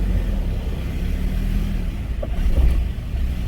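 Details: Hummer H3 with about 220,000 miles, on the lift after transfer case repair, engine running with four-high showing: steady low drivetrain rumble turning evenly, no clunks, grinding or whine; four-wheel-drive system sounds healthy.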